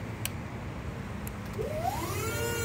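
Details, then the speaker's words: JLG T350 35-foot boom lift running after the motion alarm plug behind the control panel was popped out: low rumble, then motor whine rising and levelling as it moves, no warning beeps. "moves but no noise which is super improvement over that"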